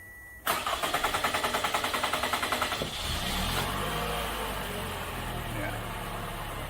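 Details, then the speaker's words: 2014 Toyota Camry four-cylinder with P0171 lean code, restarted after about 5 minutes off: starter churns in quick even pulses for over two seconds before it catches and idles; suspected fuel pressure bleeding off in the tank. "Like I said, I don't know what the actual fuel pressure is supposed to be while running, but I got a funny feeling this thing's bleeding off in the tank because you can hear the pump running inside the car."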